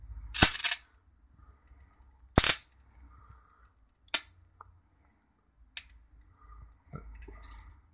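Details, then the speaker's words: Mitsubishi Diamond Plus 93 SB CRT monitor flyback tested in circuit, with a large built-in capacitor: crisp snaps every couple of seconds with a plasma-like fizz between them, arcing across about an inch; the flyback is putting out good high voltage. "there you go every now and again you hear it come in with the uh plasma sort of sound"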